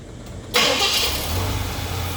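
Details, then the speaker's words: 1976 Cadillac, warmed up after timing adjustments: quiet, then catches instantly on first turn of the key and settles into a steady, even idle; healthy start. "We call that a one hit wonder. Hit that ignition one time and you wonder how it fired up like this."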